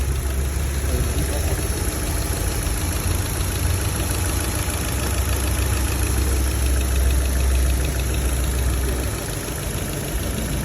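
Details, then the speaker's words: Chevrolet Lacetti SE / Cruze petrol engine after knock repair, idling smoothly with steady low hum and only normal light injector ticking, no knock. "Không, tiếng này tiếng bình thường. Tiếng động cơ con nào nó chả kêu tiếng kim phun tạch tạch tạch tạch. Không phải gõ đâu mà."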